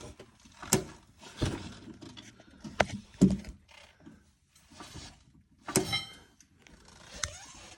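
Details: LG GT2 coilover: sharp irregular clicks and creaks as the axle is jacked up and down with the wheel off. First heard only after driving, then persistent. Fixed by lubricating the coilover.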